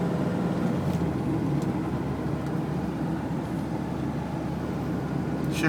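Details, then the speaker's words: 1985 Mercedes-Benz 300D turbo diesel, 307,000 miles, automatic on road test: steady diesel drone with gentle dips as it shifts up through the gears; shift points correct, smooth normal shifting. "Shift points are correct. Still has the passing capability, somewhat. It is a turbo diesel."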